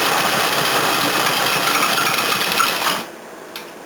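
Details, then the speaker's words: 1981 Toyota Corona RT132R with 18R-C engine running cold, about 10 degrees, choke on then down one stage, bonnet shaking: loud, uneven clatter about four beats a second; rough idle, valve clearances found too tight. "Well, I was right about the bloody valve adjustment. There's like tiniest movement in that one, tiniest movement in that one, and the rest of them are rock solid."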